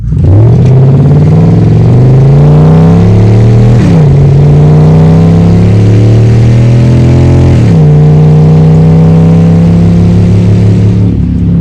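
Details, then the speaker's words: 2014 Dodge Charger Pursuit V8 AWD ex-police car, roughly 0-60 mph with electric exhaust cutouts open: loud unmuffled V8 roar climbing through two clean upshifts, no misses; normal acceleration. "So I'm going to turn around, open up the valves, and then we'll wrap up the video. And, oh, better turn that back on. Here is a 0 to 60-ish."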